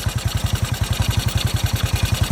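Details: 1981 Yamaha SR185 single after replacing the faulty original TCI (intermittent weak spark, sputtering, bogging, backfiring) with an Ignitech TCI and fitting an aftermarket carb: crisp, evenly spaced exhaust pulses around eleven a second, no misses or stumbles; normal idle.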